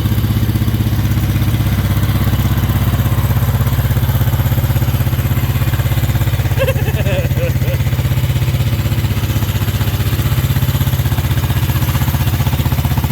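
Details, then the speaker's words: 1963 Honda CB77 305 Super Hawk twin, cold, one spark plug cap left off: heavy, lumpy low thump of about four beats a second at idle, running on one cylinder; dead cylinder misfire. "she's definitely a rudder runner but i think something was living in this pipe we seem to be a one lunger right now as opposed to a twin"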